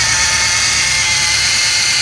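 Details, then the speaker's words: 2006 Jeep Grand Cherokee Laredo, engine running: loud, steady high-pitched whine from worn serpentine belt tensioner pulley bearings, which grind when felt; the whole tensioner assembly is replaced. "Uh, we're gonna be replacing the serpentine belt tensioner. It's making a huge loud noise when you start the engine, like something like a whining noise."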